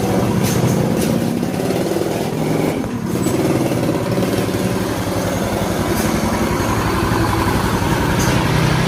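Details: Yamaha Mio Soul scooter, previously very noisy rough engine, first start after engine reassembly (kick-started dry first to raise oil): steady, even single-cylinder idle with smooth regular beat, no knocks or rattles; normal idle.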